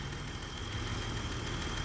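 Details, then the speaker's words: 1990 BMW E34 535i, 3.5L M30B35 inline six, 5-speed, fuel pump failing: light, quick, even ticking over a steady idle from the cylinder head; normal solid-lifter valve tap, lifters adjusted every other oil change. "this having the solid lifter tap it system you'll hear a lot of clicking is coming from the cylinder head those need to be adjusted regularly"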